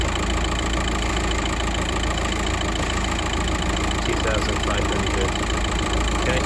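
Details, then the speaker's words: Car stranded with a crank-no-start; the battery load-tested fine at 480 A. During the charging test the engine idles smooth and even with no knocks or whine, and the alternator and battery check out normal. "okay normal everything checks out alternate Divine battery seems fine"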